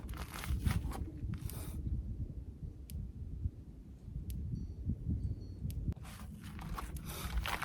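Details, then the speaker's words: Country Way electric fence charger from Rural King, mounted on a T-post, cord connected to one wire of a pig paddock fence; faint sharp clicks about every second and a half over outdoor rumble, normal energizer pulse showing it works. "I can hear it clicking, so I know it's working."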